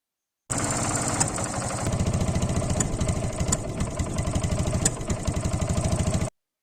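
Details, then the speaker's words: Motorcycle idling unevenly, jerking as if about to stall then recovering, with a stumbling putt-putt from the silencer as firings drop out; engine misfire at idle. "इस आवाज में जो आप देख रहे हैं कि इंजन झटके लेकर चल रहा है। ऐसा लग रहा है कि रुक रहा है, फिर चल रहा है। और जो आवाज आ रही है साइलेंसर से पटपट की वही लक्षण होते हैं मिसिंग की।"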